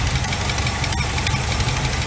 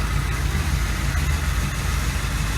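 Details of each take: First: 1986 GMC Sierra 400 small block idling during valve adjustment with valve cover off: quick light ticking keeping pace with engine speed, lifters tapping from rockers backed off too loose before tightening a quarter turn past quiet. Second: 1986 GMC Sierra with a 400 small block, after a distributor rebuild and valve adjustment, owner suspects old fuel: deep, steady V8 rumble at idle, even with no ticking or misses; runs smoothly.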